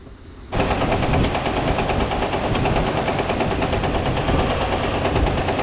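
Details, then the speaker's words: Dodge M37 military truck, sat about 15 years after developing loud engine noise, running: loud rough engine with heavy uneven pounding about three knocks a second from bottom end; suspected rod knock, probably needs rebuild. "this thing's running really really good though this this dang rod knock"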